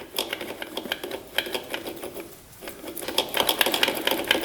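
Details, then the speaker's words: 2006 Honda CRF250R that locked up on its first ride after rebuild: turning the engine over by hand gives loose, uneven metallic clacking each rotation; suspected crank or valve, found to be a broken connecting rod. "sounds like something's loose doesn't it yeah it could definitely be the crank maybe that's what that that rough sound was the crank"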